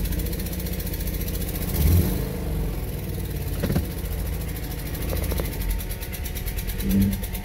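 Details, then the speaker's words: 2017 Subaru Outback, 70,000 miles: engine revs unevenly with irregular stumbling and popping under throttle, one cylinder dropping out; a blown or defective spark plug is suspected. "Sounds like it blew a spark plug out or blew a spark plug apart or something. This is something you would expect on a Ford, but not a Subaru."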